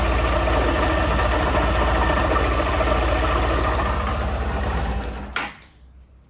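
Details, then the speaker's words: Honda CG 160 Fan single-cylinder at idle: fast, fairly even clatter about 3–4 per second over the low thump, changing when the clutch is pulled; strange engine noise, cause unconfirmed, clutch replacement considered. "tá com esse barulho estranho rapaziada Então hoje eu vou estar levando lá na Honda beleza"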